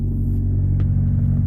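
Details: Honda H22-swapped EK Civic after dealing with a defective engine harness (wrong gauge wire), which had caused hot click/no-crank. Deep, steady idle with an even low rumble and no misses, clicks or knocks. Normal idle.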